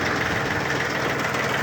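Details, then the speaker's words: Yanmar mini tractor (F13D/F15D, 13 hp) three-cylinder diesel, 4WD, about 700 hours, tiller running on the three-speed PTO: steady even diesel clatter, no misses or knocks, pulling smoothly, normal running under load. "отлично три скорости у нас идет три скорости на валу отбора мощности очень мягенько"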